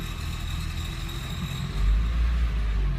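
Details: 2007 Porsche 997 C4S at idle: a steady low idle with a thin, constant high-pitched whine or squeak sitting faintly above the engine; source not identified.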